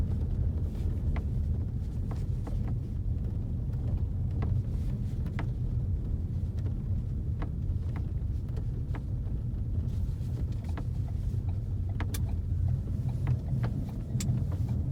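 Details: 2016 Ford Focus RS while driving: irregular light creaks and ticks from the interior, possibly the headlining, over steady low road rumble; cause suspected, not confirmed.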